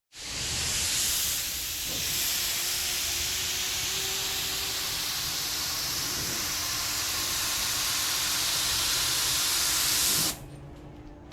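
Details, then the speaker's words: Spray gun at about 30 lbs pressure priming an 81 Corvette hood blows air only, sending no primer; steady unchanging hiss. Vent suspected clogged; pliers fetched, unconfirmed. "all right see what it is matter done frecking up like it's not see sending any pain out like the vent may be clogged"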